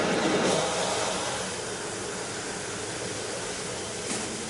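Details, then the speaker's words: Brush truck (Brush 1) water tank being pressure-filled from a hydrant, with the discharge valve cut halfway at about 3/4 full to avoid excess pressure: steady rushing water hiss that eases quieter as the valve is cut back. Normal tank fill flow with the valve half closed. "You can sort of wait until it gets up here as long as you can see it, and cut it halfway. When that discharge valve is cut, you'll hear a difference in the sound."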